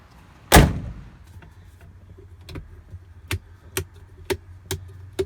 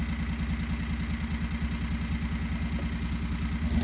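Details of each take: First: 670 cc Predator engine in a Renault, with a new exhaust and the governor removed. It fires, then gives hollow pops on each throttle blip and sounds lean. It settles into a busy, high idle, which is high because of the compression relief mechanism. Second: 670cc Predator V-twin in a Renault, governor removed, new exhaust fitted, mixture slightly lean: steady even chug at a brisk idle with no stumble; normal high idle because the compression relief mechanism stalls the engine if idle is set lower.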